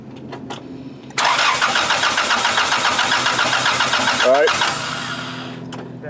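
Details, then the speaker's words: Honda engine swap, OBD2A, crank sensor bypassed, getting fuel but no spark: starter spins engine at steady even rhythm for a few seconds without catching; cranking, no start. "we're getting fuel car cranks over but just no spark"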